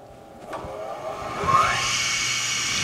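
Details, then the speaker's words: Three-phase induction motor single-phasing after losing a phase: low hum as it sits unable to start, a hand-spin rustle on the shaft, then a rising whine as it picks up speed once rotation is established by hand. "i am going to induce or establish that direction of rotation for the motor and once i do that the rotor will be able to start turning and pick up some speed just watch we turn on the power we hear the humming come on"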